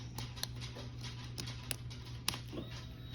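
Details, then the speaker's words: 2001 Honda CBR929 with aftermarket Chinese ignition, key on after diode fix: low steady hum from the tank under light ticks; fuel pump now primes, which it did not before (bike wouldn't start). "I don't know if you can hear, but now you hear my um gas tank powering up. Before it wasn't doing that."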